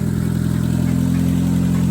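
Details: 2000 Honda Civic EX D16Y8 turbo, about 185,000 miles, just after replacing rod bearings for a spun-bearing knock, fresh synthetic-blend oil: steady, even idle with smooth low drone, no knocks or taps; bottom end sounds healthy.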